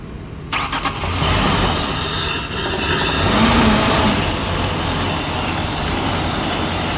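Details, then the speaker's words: 2002 Ford Ranger 2.3 L 16-valve, 76,000 miles, bad fuel pump: starting fluid sprayed into intake, engine cranks briefly then runs steady and even with no knocks or ticks; normal running on starting fluid. "the motor sounds good right now it's running as spraying see that bring in the intake here keep it running"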